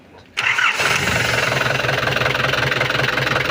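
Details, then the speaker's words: Nissan Frontier after replacing a seized release bearing that caused noise under the clutch when pressing the pedal, spline greased; starts at once, steady even idle, no squeal or rattle with clutch pressed. Normal idle with clutch operation. "kapak sa clutch. Okay na. Okay na. Ayos."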